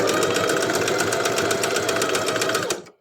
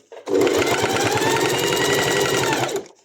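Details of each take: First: Sewing machine with a horizontal drop-in bobbin: fast, steady stitching clatter with an extra hard knock every few stitches as the bobbin skips; the bobbin area needs maintenance before sewing continues. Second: Sewing machine with a horizontal bobbin, after bobbin-area maintenance: fast, even stitching at roughly eight stitches a second with no knock. The bobbin no longer skips and the machine sews without problems.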